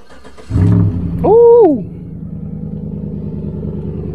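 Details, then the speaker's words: Flex-fuel E85 truck at salvage auction, expected to be dead: catches on first try, blips briefly, settles to steady, even idle; check engine light on; normal cold start. "hear that she sounds good did you hear it fire up though yes"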